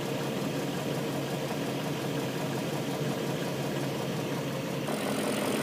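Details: BMW M62B44TU V8 with stock exhaust, with INA aftermarket chain tensioner (BMW 11317531813) fitted: steady, even idle with no ticking or chain slap over the hum and a slight lift near the end. Sounds healthy.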